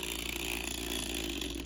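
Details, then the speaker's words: Model Power E8 model locomotive on track before the fix: a loud, steady high-pitched buzz and whir; the loose, rattling flywheel is suspected, with a washer between the bearings and flywheel as the planned fix. "moves around a lot like this and I think that the rattling of the flywheel doing this is the reason why it makes a lot of noise"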